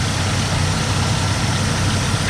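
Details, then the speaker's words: Truck's first start with a DIY cold air intake made from intercooler pipe, no air filter fitted yet. Steady, even low rumble with no hiss or whistle; no air leaks felt, normal idle. "Everything looks pretty good. I don't really feel it sucking any air anywhere."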